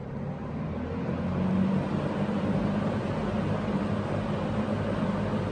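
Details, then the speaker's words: Early-1970s Electrohome 652-1 20-inch box fan, overheated-looking motor windings passed insulation and amperage tests: steady, even rush of air with low hum, no knocking or rattling at startup on high speed; normal. "and of course the incredible startup sound I've got to hear that so here it is high-speed beautiful"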